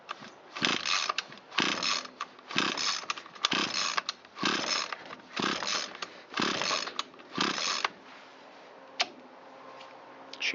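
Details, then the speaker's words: Echo SRM225 trimmer that sat long with fuel in it and was run without an air filter, tested short of full throttle. Repeated pull-cord rasps about once a second and it never fires. No-start with low compression. "a no-go. Let's find out why."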